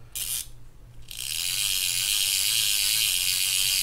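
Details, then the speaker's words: Penn International 30VSW fishing reel just serviced and reassembled: free spool spins with an even high-pitched whirr, only a faint light knock now and then from the drag section. Normal free spool. "There's a free spool. Sounds good. That little knocking is from the drag section over here on this"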